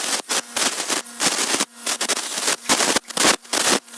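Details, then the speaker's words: CUT-55 plasma cutter after replacing its broken transformer and faulty power cord, with the fault light now off: harsh hissing arc bursts that start and stop cleanly, with a steady hum between. Normal plasma arc. "It's normal now. Solder it and see if there is any problem."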